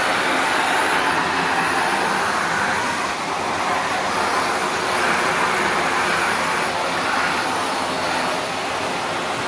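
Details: Shark NV355 vacuum bought in 2018, about three years old, running converted to handheld mode in a Florida condo: strong, steady rushing airflow with no rattles, squeals or surging; motor healthy and pulling well, normal running.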